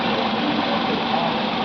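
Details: 2018 Tata Tigor petrol that had no pickup or throttle response with DTCs P2176, P2135 and P0121, after an ECM change and full rewiring: steady, even idle hum with no stumble, surge or knock; normal running after repair.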